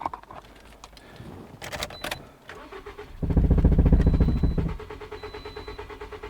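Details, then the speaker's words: 2011 Toyota Corolla 1.8L, alternator, battery and starter already replaced, on a jump box: starter cranks steadily about three and a half beats a second but never fires; crank, no start. "so as you can hear the engine cranks but it doesn't start I'm going to try this one more time all right so that's customer's complaint confirmed the engine cranks but it doesn't start"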